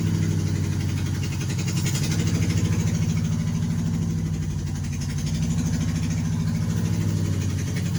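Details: 1988 Nissan Sentra E16i started after fuel pump fuse reinstalled during troubleshooting of starting and running issues: steady, even low idle with smooth regular pulse, no knocks or misses; running normally.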